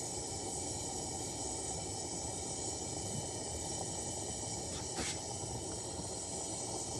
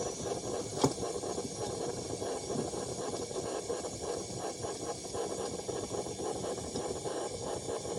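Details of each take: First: Coleman pressure lantern on a size 21 mantle: steady hiss with a sudden whooshing flare midway as fuel hisses through. Fireballing from a poor mantle. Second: Vintage Coleman pressure burner, apparently the 1952 252 military-spec under repair (the 1950 242C is also restored): a steady, even hiss for about twelve seconds with no sputter or surging. It is burning properly and works.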